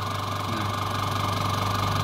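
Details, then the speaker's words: Aqua washing machine spin-dryer motor: strong low hum with rough scratchy rubbing over its whir, weak spin under load; worn shaft or scored bushings suspected. "dari suara Enggak normal ya dari suara itu kayak kayak Ada gesekan"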